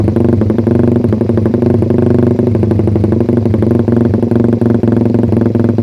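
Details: Suzuki Satria FU single after ignition timing was advanced slightly via the pulser, revved hard: steady firing but the top end sounds flat and held back. Owner suspects ignition or an overly rich carb setting up top.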